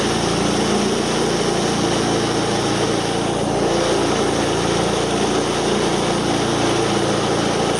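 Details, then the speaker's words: Wood chipper small engine after replacing a belt that let go: steady high buzz, even and unbroken, no belt slap or squeal; belt engaging, working normally again. "right all right so you can see it's working again uh now that we got the belt on there"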